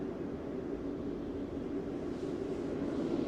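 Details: Heater running normally, steady low hum with soft even hiss of air, no rattles or surges, blowing warm air.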